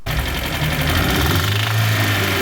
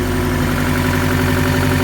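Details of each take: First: Owner's first engine rebuild, knocking again after 75 miles despite 200 psi compression on all four cylinders: rapid regular metallic knock over idle following engine speed; suspected rod knock. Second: Steady, even low idle with a regular firing beat and no knocking or tapping after a first engine rebuild that failed and knocked at 75 miles, now rebuilt again; first start after reinstall, oil pressure present, some oil smoke; sounds healthy.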